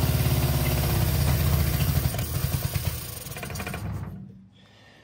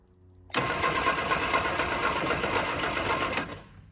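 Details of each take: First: 1965 Innocenti S Spider 1098cc engine, chokes on, after reversing plug leads to correct the firing order: deep, even burble with steady firing for about four seconds then shut off; normal running, water pump not connected. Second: 1965 Innocenti S Spider with 1098 cc engine, sitting for years, crusty points: starter spins the engine steadily for about three seconds without firing. A spark is seen but weak, so the points are to be cleaned.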